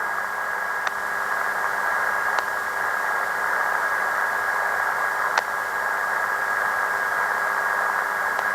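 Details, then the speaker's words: ATS-100 Si4732 pocket receiver: steady hiss with faint sharp ticks every second or two as numbers or signal scale on the OLED display change; display refresh clicks. "Yeah, you hear the birdie in the background, and also you can notice these small clicks like noise, and those clicks are by the small changes on the display."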